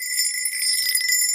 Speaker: Now, if I move it over to an area here, which we know is good, much higher pitch.